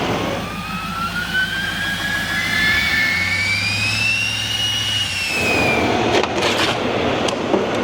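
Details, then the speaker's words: Rebuilt Duramax diesel 2500HD ZR2 on first start after repairs, cold with fresh coolant: even quiet idle with a smooth rising turbo whine, no knocks or rattles, much quieter than before; healthy. "Let's fire this puppy up. Sounds good. Watch your fingers. It's quiet. Remember how loud it was before?"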